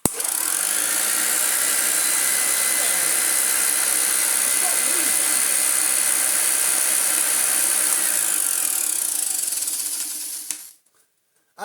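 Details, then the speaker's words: Hoover Junior 1334A upright vacuum, rebuilt and refurbished: high motor whir with a faint light tick three or four times a second, likely the brush roll corner wearing on its end cap, expected to settle after a couple of hours. "that little tick tick tick will I think yeah just be the very corner of this brush roll just wearing itself down on the end cap and after a couple of hours of running it's probably gonna be okay"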